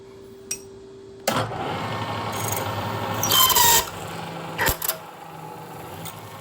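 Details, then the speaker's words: 1940s 14-1/2" South Bend lathe drilling hard material: the sound builds to a harsh screech, then sharp clunks as the overfed drill bit seizes and breaks. "Well, I might have pushed that one a little bit too hard. Can you tell I'm getting a little bit frustrated? Well, that drill's going to go into the scrap bin because there ain't any saving"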